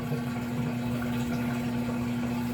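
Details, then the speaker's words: Samsung washer with 5E no-drain code, on spin-only drain cycle: steady, even pump hum with clear low tone and water noise, no rattle; healthy drain pump. "oh that thing sounds good there's no rattle to that at all"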